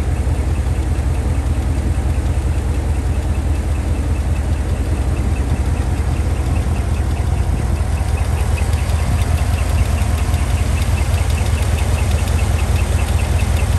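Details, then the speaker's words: 2015 GMC Denali L86 6.2L V8 with displacement on demand, 114,000 miles, at idle: steady tick about 2.5 per second, described as a high-pitched squeak, over deep V8 idle. Noise began intermittently near 110,000 miles, worsening, changes with RPM. Failed roller lifter. "A bad lifter noise is gonna sound kind of like a high-pitched squeak."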